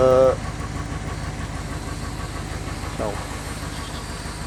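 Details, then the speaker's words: 1951 Ford petrol engine at idle: throttle blips barely lift the revs, which drop back slowly, though these engines normally rev instantly. The owner suspects timing or a restriction; not confirmed. "These things, from my recollection, these things usually rev up really instantly and really good. Not mine though."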